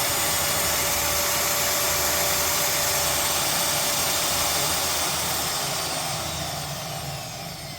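Smooth, steady high-pitched motor whine with no rumble or gritty grinding, then slowing slightly; the grinder runs healthy.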